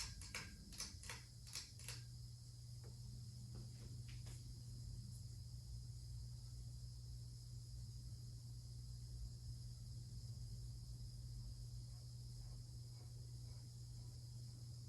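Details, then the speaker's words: Hampton Bay Carriage House hugger ceiling fan, about 1999, at medium speed: steady low buzz over a quiet hum, buzzing got worse; motor buzzing, cause not found. "As you can hear, the buzzing got a lot worse, somewhat."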